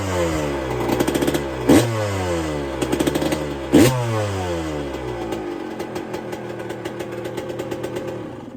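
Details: 1999/2002 Yamaha YZ125 converted to YZ144 two-stroke, first start after full restoration, carb rebuild kit, float previously leaking, not yet hot: crisp sharp revving climbing and dropping cleanly between blips, no knock or misfire, very loud; healthy running.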